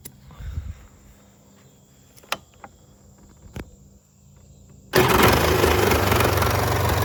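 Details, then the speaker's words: Polaris Trail Boss 350 started on the electric starter after its battery terminals were connected: silence, then it catches instantly and settles into a steady, even idle; normal start. "you hear how fast that thing started listen to that it's impressive"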